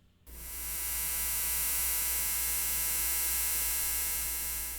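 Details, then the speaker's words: Steady, very high-pitched electrical whine over a low hum, constant pitch, from a main PC's graphics card; GPU coil whine, an annoyance that causes no real circuit issues. "In fact, my main PC has quite a bit of coil whine too. However, most of mine comes from my GPU."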